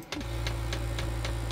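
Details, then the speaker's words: Fuel dosing pump ticking normally once the exhaust is hot and the system has primed: crisp, very regular ticks about every quarter second over a steady low blower hum. "ça y est l'échappement est chaud c'est amorcé on entend la petite pompe là"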